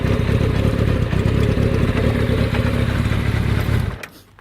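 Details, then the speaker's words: Z550 four-cylinder motorcycle being revved: crisp blips that settle cleanly, with no rattle from the clutch casing, a spot prone to rattling on this model; responsive and healthy. "You can hear. Look, there's no rattles from the clutch casing or anything."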